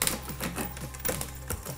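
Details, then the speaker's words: Bicycle front derailleur adjustment: quick light ticking and scraping with each crank turn as chain rubs the outer cage guide; high limit screw turned counterclockwise to fine-tune until rubbing stops. "the chain outer guide these rubbings they want to do counterclockwise until it no longer rubs"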